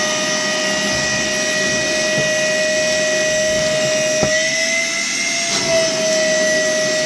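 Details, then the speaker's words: Worx WX031 brushless cordless 20V wet/dry vacuum with its filter completely clogged and suction lost: high, steady howl with wavering pitch under strain and no pickup; motor howling from clogged filter. "you can hear it there howling in distress because quite obviously the filter is going to be fairly well popped up which it is"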